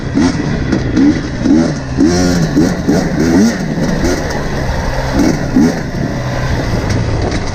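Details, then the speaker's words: Quick throttle blips rise and fall cleanly from a steady idle on a warm KTM TPI two-stroke after swapping the ambient and crankcase pressure sensors; the earlier low-rpm loading up and sputtering are gone, crisp and healthy. "so you can hear it immediately it's running crisper the throttle response at low rpms is really good and yeah i just totally fixed it"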